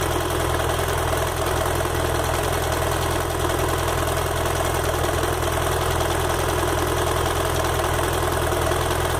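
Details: BMW F 800 GS bought at 2,600 km, hot idle on the side stand: a faint, uneven light tick over a steady rumble that stops on throttle, worsens when leaned, and comes and goes. Cause unconfirmed.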